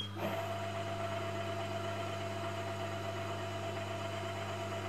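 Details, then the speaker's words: VF1 machine spindle gearbox reassembled after teardown for noise, run at 500 RPM: steady high gear whine over a low hum, a bit quieter than before but meshing noise remains. "to be fair that actually sounds a bit quieter than it did before fire can still hear a bit of noise"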